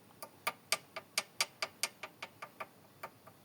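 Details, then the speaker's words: VW Golf 4 1.4 heard in the cabin while coasting, in gear or not but more noticeable in gear: faint, light, sharp ticks about two per second, slightly uneven. Source unknown; the owner suspects the gearbox or a CV joint. "Вот такой вот звук в салоне. Еле-еле слышный. Но слышный."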